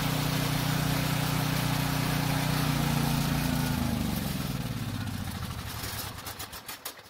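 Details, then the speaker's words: Generator with fresh gas in the tank: it runs fine on full choke but sputters and dies as soon as the choke is partly opened, pointing to a carburetor problem. "as you just saw it started and ran just fine on full choke but the moment i turned the choke partially off it instantly died so we definitely have a carburetor problem"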